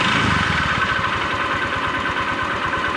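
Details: Honda Vario 125 scooter, owner suspects worn connecting rod; idling just after oil change to 20W-50, before oil treatment, with quick light even tapping under exhaust note; smoother than before, cause unconfirmed.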